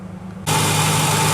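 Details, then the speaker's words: 2002 Ford Ranger 4.0L V6 starting right up after a bad alternator was replaced: catches at once into a smooth, even idle with a faint steady whine and no misses. Charging reads 14.42 V, up from 12.2 V and falling before; normal idle. "Ooh, started right up. Sounds good."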